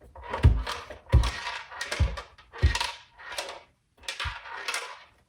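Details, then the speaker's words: Jetson Magma off-road hoverboard, several months old and ridden indoors: rolling rattle with a dull thunk each time the board tips, though it still powers on and works fine. Loose object rattling inside the housing. "so there's definitely something in there rolling around so um if you power it on it still works fine everything's working fine but the rattling noise is just weird"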